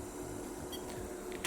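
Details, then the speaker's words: Small brushed DC motor on PWM raised to 200 Hz: brush vibration mostly gone, but a quiet, constant low buzzing hum of unchanging pitch remains because the PWM switching frequency is in the audible range. "Ahora, tenemos un problema y es que se escucha un zumbido. Esto alguna vez lo habrán escuchado en un motor de potencia."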